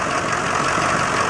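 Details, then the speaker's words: 1986 Chevrolet K20 with 6.2 diesel, running again after reassembly following a loose cam: busy diesel idle with a light, fast metallic tick on one side, steady with engine speed. Owner suspects a loose or sticky lifter; unconfirmed. "only thing that's left now you can start it here is a sounds like on this side a lifter that's a little bit loose a little tick tick tick"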